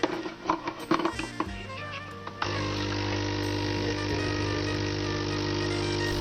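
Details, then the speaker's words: DeLonghi espresso maker that hummed but would not dispense coffee, after repair and reassembly: some clattering, then a steady, even buzzing hum as the pump builds boiler pressure. The pump is healthy and coffee flows. "Помпа создает давление в бойлере. Плюс горячая вода — это тоже дополнительное давление."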